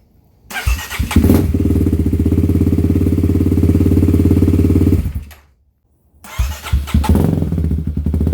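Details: 2018 Kawasaki KLX351 big-bore single, after sitting two weeks: idle had jumped to about 3,000 rpm until turned down with the set screw and fuel added to the tune. Catches right away and settles to an even, steady thump, then restarts cleanly. Normal start and idle.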